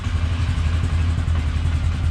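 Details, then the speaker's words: 1999 Polaris Sportsman 500 ATV, after fuel pump replacement and reassembly: steady, even low rumble with smooth beat, no knocks or misses; cold-blooded but starts and runs good; normal idle. "now she cold blooded but starts and runs good yeah sounds pretty good"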